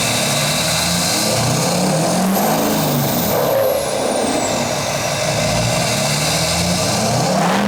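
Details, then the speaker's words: GMC Duramax 2500 after an 80 hp tune and a 5-inch straight-pipe muffler delete, revved standing: deep diesel rumble with a high, thin whistle climbing and falling, healthy turbo spool. "hear that turbo yep i love the sound of a turbo if you can't hear a turbo you don't even really have a diesel"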